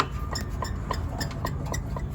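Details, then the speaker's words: Bad wheel bearing: wheel spins with lots of play, the axle wobbling and rubbing the inside of the knuckle, giving a regular light ticking about three or four a second over a low rumble. "So the wheel's spinning, but as it's spinning, it has a lot of [ __ ] play. Look at that. So the axle's just [ __ ] going everywhere and it's rubbing onto the inside of the knuckle."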